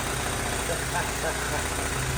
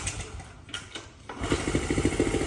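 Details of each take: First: 1979 Honda Z50R chopper-styled mini bike, single-cylinder, idling steady with an even low buzzing pulse, no hunting or stumbling; runs settled after the intake boot, which had a big vacuum leak causing lean popping, was cut and shortened at the carburetor cap. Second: 1979 Honda Z50R chopper mini bike found stored among snowmobiles; the small single catches after a few kicks, then revs unevenly with sputters and pops. They suspect popping from the intake; vacuum leak and lean running suspected, valve adjustment also considered.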